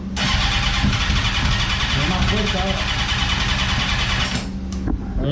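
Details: 1998 Suzuki GSX-R 600 after stator, rectifier and spark plug replacement for a battery not holding charge: catches and settles into a steady, even idle with smooth low rumble, no knocks or misfires; normal idle.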